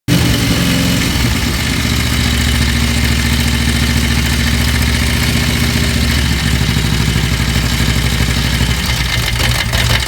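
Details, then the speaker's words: Harley-Davidson Twin Cam V-twin engine running with busy mechanical clatter over its lope, indicating worn cam chain tensioners. "guys Jeremiah roosters harley-davidson if you have a noise like that that is bad news for you but it doesn't have to be that bad we're going to talk a little today about the twin cam motor and some of the things that go on with that as far as the cam team tensioners are concerned"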